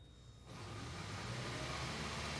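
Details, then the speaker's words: 2008 Toyota Prius cranking while scan tool shows about 1500 rpm cranking speed and mass airflow 5.7 g/s, above the 5 g/s minimum: quiet start, then steady, even whirr with no stumble, healthy cranking and MAF system. "obviously you saw the RPM go up to about 1500 rpm during cranking and the mass airflow jumped up to about 5.7 grams per second obviously a good system"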